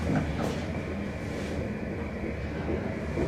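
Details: 1970 Haughton hydraulic elevator, Macy's Genesee Valley Mall, modernized likely 1980s, badly low on oil; low rumble with uneven rattling bursts while going down; shaking during descent.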